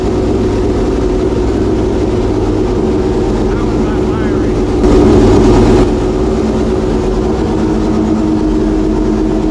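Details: Homemade V12 race engine, freshly reinstalled in the race car and first fired after several months of storage, at a steady, even idle with a firm low beat and no misses or stumbles; running cleanly.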